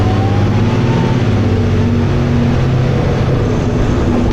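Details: First Manchester Dennis Arrow bus (fleet 31918, P418PVW) recorded on board. A loud, heavy diesel drone under hard acceleration shifts in pitch as the automatic gearbox kicks down a gear, which is a normal kick-down downshift.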